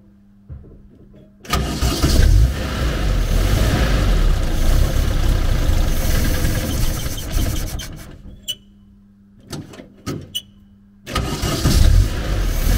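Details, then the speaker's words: 1970s VW Type 2 Camper engine with the brake booster vacuum line plugged to rule out a vacuum leak: it catches and runs unevenly, then sags and dies, restarts and dies again. Won't hold idle; carburetor strip-down planned. "it won't stay running long enough for me to get to the back of the bloody van"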